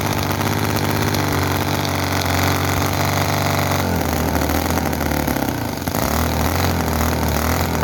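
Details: Chinese model V-twin petrol engine (Cison FG-VT9 9cc or Microcosm R28 4.3cc), oil in crankcase, poor fuel tank: loud fast uneven note with stumbles and pops, oil leaking, won't settle to slow idle; cause unconfirmed.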